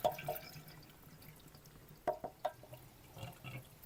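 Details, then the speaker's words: Engine off on a 1947 Farmall Cub while water is run into the cooling system: soft irregular gurgles and drips. It is taking water with no visible leaks onto the ground, and the hoses are reused. Normal cooling system filling. "Can hear it gurgling. So, it's taking water and I don't see it dropping on the ground anywhere."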